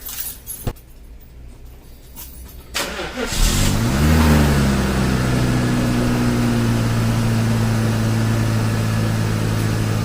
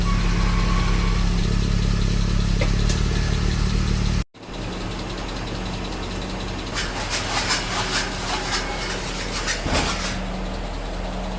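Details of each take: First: 1995 Mercedes-Benz S500 W140 V8, after replacing left-side cam oil tube and valve cover gasket: starts and settles to an even smooth idle, tapping noise from the head gone. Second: 1995 Mercedes-Benz S500 W140 V8 cranks and idles with a light quick top-end ticking from the left (driver's) side, traced to a broken plastic cam oil tube; car sat unused for months, fixed by replacing cam oil tube and valve cover gasket.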